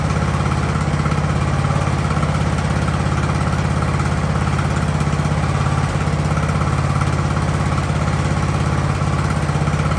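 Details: Ariens hydrostatic-drive riding mower, sat at least two years, idling in neutral at about 30 degrees: deep, steady thump of a small single settling into an even idle, no stumbling or dying; normal idle.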